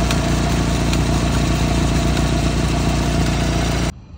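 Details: 1991 Ford Tempo/Topaz at idle: faint constant mid-pitched whirr from the belt drive; suspected tensioner, idler pulley or water pump fault, not confirmed.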